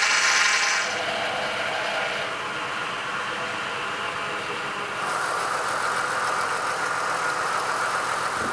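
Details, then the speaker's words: Drift Falcon after more steering lock overheated and cooked the power steering pump: the engine runs with a rough, hissy groan and a steady whine from the steering pump. The power steering system is full of air. "I hate that noise I hate that noise just full of air"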